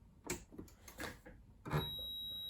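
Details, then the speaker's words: Singer computerized sewing machine at power-on with needle bar deliberately blocked to simulate the fault: short strained buzzes and clacks as the needle bar motor tries to move, then steady high beep with E4 error on screen. "So you see there, E4, it's given an E4 on it. Something else that you heard right before it went to that was the needle bar trying to move. That should give you a hint."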